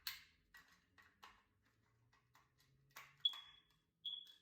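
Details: Smoke alarm giving two short, high-pitched chirps after clicks and handling; dead battery suspected, fix by replacing battery, resetting, or replacing an old alarm.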